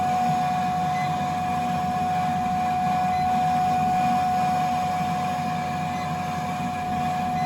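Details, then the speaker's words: Burnham Alpine boiler no-heat call with ICP air handler in attic: steady droning hum with a fixed mid-pitched whine; customer says the air handler blower won't stay on, technician suspects a blower issue, not yet confirmed. "Sounds like you got a blower issue here. So we also, listening to the customer's complaint, the blower is not staying on at the air handler in the attic."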